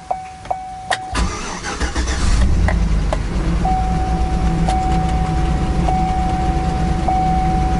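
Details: Rental Chevrolet Tahoe in poor condition: chime ticking over a brief crank, then it catches and settles into a rough, uneven idle; it died right after starting on the first attempts, with traction, ABS, stability and airbag warnings lit.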